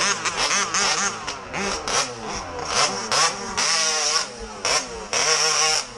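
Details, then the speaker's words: MCD XR5/RR5 ALX 48cc/50cc two-stroke pit bike under throttle: revs in choppy bursts and stumbles between blips instead of pulling cleanly; misfiring again, cause unclear, and the clutch spring has also gone. "Oh, she started missing again. Aye?"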